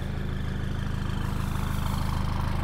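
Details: Rebuilt 200 hp HDI diesel running outside after reassembly, with a coolant leak and fresh oil spot of unknown origin: smooth, even idle with a steady low pulse, no clatter or knock.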